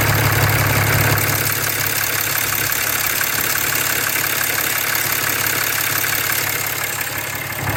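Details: 6.7 Cummins diesel idling; light, fairly regular ticking about three per second over low steady rumble, heard near the EGR valve.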